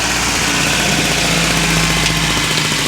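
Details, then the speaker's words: Honda Del Sol after a fuel pump replacement (pump putting out over 50 psi): starts and settles into a steady, even idle with no misses, knocks or hunting, no leaks, running smooth. "nope nothing's nothing's leaking as far as I can tell everything works good and it's running real smooth"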